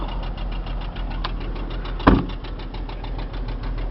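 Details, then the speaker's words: 2006 Chrysler Concorde four-door idling, check engine light on, not overheating or showing bad oil pressure: rapid, steady light knocking rides evenly over a smooth idle and never lets up; internal engine knock, motor needs rebuilding. "it's not overheating or showing bad old pressure but it is knocking"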